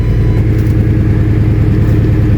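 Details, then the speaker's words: Ford F250 first start after a new fuel pump install, chilly day: heavy loud low rumble with a rough puffing chuff under the engine note; a huge exhaust leak. "oh I heard a fuel pump Prime theft light out huge exhaust leak but"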